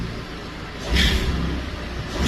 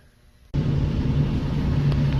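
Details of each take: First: Ford EcoBoost exhaust manifold leak from a broken manifold bolt: sharp hissy chirps about every 1.5 seconds over low engine rumble, exhaust escaping at the manifold, soot found; fix requires cab removal to reach bolts. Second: Ford EcoBoost idling with a steady, even hum and no chirp or ticking, after repair. The chirp had been exhaust leaking past a broken exhaust manifold bolt; the manifold and bolts were replaced and the noise is gone.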